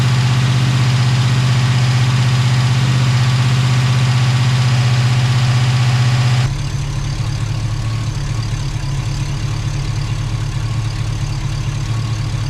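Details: Chevy Tahoe rebuild, new ATK 5.7 LS V8 on first start with a safe break-in tune, A/C with no Freon, fans on manually. Oil pressure about 40 at idle, 60 revved. Steady, even low rumble with no knocks or ticks, settling smoothly: normal idle.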